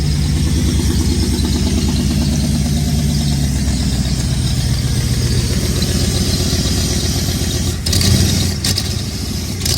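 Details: 1994 Chevrolet Camaro Z28 LT1 V8, a tornado-survivor project, firing up: runs rough with a loud, sharp ticking puff on every firing pulse, quickening with revs; a bad exhaust manifold leak on both sides, with an ill-fitting gasket pinched in.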